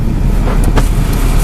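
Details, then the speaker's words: 2001 Chevy S10 four-cylinder after blower motor replacement (old motor made a bad squealing noise), engine running with blower on: even low rumble with no squeal, whine or screech; normal blower motor operation. "perfect alrighty viewers as you can tell it sounds perfectly no whining no screeching awesome"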